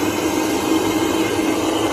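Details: Pontiac Fiero GT heater blower motor running after its mouse nest was cleaned out, giving a steady, even whoosh of air with a low hum; normal operation.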